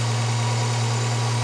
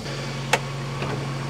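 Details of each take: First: Volvo 240 at an MOT-test day, after the mixture/idle was adjusted: steady low, even idle hum with no hunting, misses or knocks; engine settled at a proper idle speed. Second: Volvo 240, warm/hot engine just after passing MOT: fast, even idle at about 1400 rpm with a steady hum and slight rise near the end. Idle too high, should be about 800–900.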